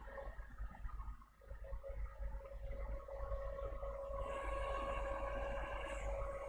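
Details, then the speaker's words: HP PS-4241-1HD power supply after seized-fan repair, powered by shorting green wire to ground: steady even fan hum, one constant tone, no ticking or rubbing; 12 V output stable, fan spinning well. "And yeah, as you can see, it runs really good. 12 volts, stable, and the fan is spinning really good."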